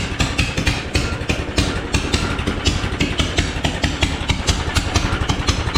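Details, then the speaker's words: Engine swapped into a John Deere AMT600, straight pipe with no muffler, started after draining the carb bowl following flooding (fuel was shooting out the exhaust): lumpy uneven popping idle about two beats per second, stumbling; running rough. "Heat. Yeah, we got to do something about that exhaust. It's not happy."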